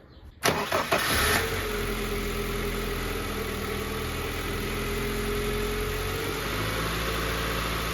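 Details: Honda Civic D16V1 petrol engine started after camshaft seal oil leak repair and oil level check: short crank, catches quickly and settles into steady even idle, no misses or knocks; problem fixed.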